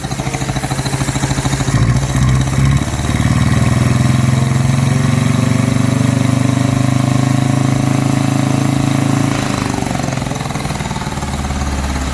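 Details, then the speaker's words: 1953 Hillman Minx barn find, first start after 30 years parked, oil previously put down the cylinders, no coolant: old four-cylinder settles to a fairly steady, slightly rough idle after a brief rev; owner suspects an air leak; some smoke; normal idle. "Hey, 30 years parked up and she's firing up and idling. How cool."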